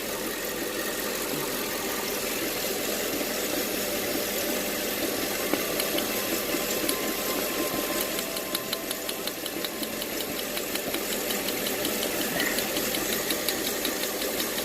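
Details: 2008 Mercedes CLS500 V8 with two plugs per cylinder and P0300/cylinder 1 misfire; sharp snaps firing steadily over the idle from a replacement ignition coil, constant spark, old coil was faulty.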